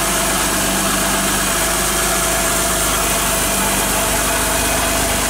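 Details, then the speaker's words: Car idling after cornstarch (maize flour) was applied to the pulleys of a belt that squealed from getting wet: a steady, smooth idle hum with no squeal or chirp. Normal idle, the belt drive is quiet. "Bien amigos pues como han visto el sonido ha desaparecido Ojala que les haya servido y lo puedan hacer en sus casas."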